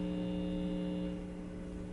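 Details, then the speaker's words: Marshall Valvestate 80V amp, pots re-soldered and cleaned, played with a single-coil guitar pickup: steady low electrical buzz with stacked tones, 60-cycle mains hum picked up by the single coil, unaffected by tone control. "so with a single coil it's picking up a lot of the hum it's a 60 cycle hum there's nothing you can do about it but while you're playing you don't hear the hum you only hear the note"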